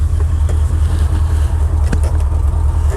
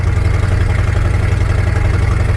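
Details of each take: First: Once-abandoned Chevy C10 square body V8 after the distributor was adjusted by eye and ear, owner thinking timing was the problem: fired right up with no starter drag, strong steady even idle, smooth and healthy. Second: Abandoned square-body Chevy C10 driven on a dirt road: deep, loud, pulsing exhaust rumble inside the cab, far too loud; exhaust header leak needing repair.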